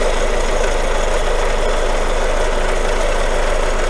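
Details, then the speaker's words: Renault Mégane 2 petrol engine idling after a confident start, car lowered on the lift; steady low rumble with a faint uneven rhythmic accessory-drive noise, suspected water pump. Crankshaft damper pulley wobbles with play; unconfirmed, belt to be removed and pulleys checked. "Запуск уверенный. Но мне вот сразу не понравится. Шум помпы, по-моему, идет."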